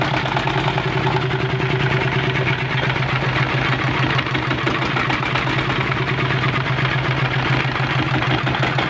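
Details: Single-cylinder diesel engine started after fixing water leaking into the oil: steady, even, unbroken beat with no misses or knocking. The engine runs normally.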